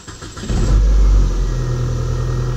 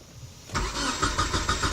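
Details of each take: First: 1993 Nissan Altima that had a crank-no-start fault starts right up once 12 volts is supplied directly. It catches within half a second, flares, then settles into a smooth, steady idle, confirming the relay as the cause. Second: 1993 Nissan Altima cranks but won't start; an earlier diagnosis found no spark. The starter turns the engine at a steady chugging pace for over a second but it never catches.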